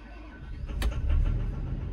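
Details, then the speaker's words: Diesel construction machine starting up during injector cut-out testing by laptop: heavy rumble with sharp knocks and black smoke. Knock persists with injectors one, two, three and five cut out; possibly number four. "bit of a diesel knock bit a black smoke beling out of it too so we'll see I click number one still got smoke still hear the knocking noise"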